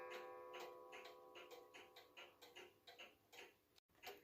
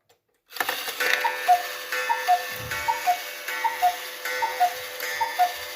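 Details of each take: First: Restored Hubert Herr Black Forest cuckoo clock, movement and broken bellow fixed, running on a temporary pendulum from a Romanian cuckoo clock: light regular ticking about two per second with a faint tonal ring; movement even and healthy. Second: Restored Hubert Herr Black Forest cuckoo clock, movement adjusted and oiled, temporary pendulum: even paired ticking about 76 a minute with a faint steady whir; the striking train still makes a noise while running.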